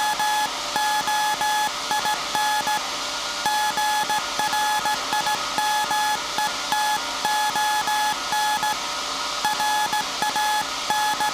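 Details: SAQ Grimeton 1924 Alexanderson alternator, 17.2 kHz VLF CW centennial transmission, punched-tape transmitter soon handing over to manual telegrapher keying; steady mid-pitched tone keyed in short and long beeps at an even pace; normal Morse sending.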